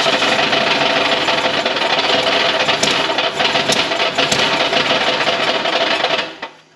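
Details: 1962 Ford Fairlane two-door post V8, all-original, first run after sitting in a barn since 1993: sharp, uneven metallic clatter over the running engine that dies away at shutoff; knock of unclear origin, suspected near the starter, oil pan to be dropped next.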